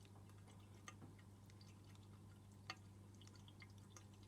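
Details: Floating DIY Stockman-style aquarium overflow silencer with a small air hole on top, fitted over the overflow pipe: only a faint steady trickle and soft drips over a low hum, no gurgling or slurping; quiet flow, not restricted.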